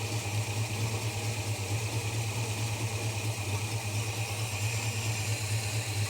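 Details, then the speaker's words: Holden HK engine running better than the day before but still not smooth: steady low idle with a slightly uneven pulse about twice a second, like a misfire; owner unsure whether the plugs are the cause. "so she's running better than it was yesterday still not smooth though"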